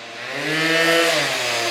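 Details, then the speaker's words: 1989 Honda Elite E two-stroke scooter after an AF16 motor swap, with a 90cc big bore kit and a new pipe, clutch, carb and intake. A crisp buzz climbs smoothly in pitch and winds down cleanly with no misfire or bogging: a healthy rev. "It sounds good actually right there. There she goes. The wind down sounds so good."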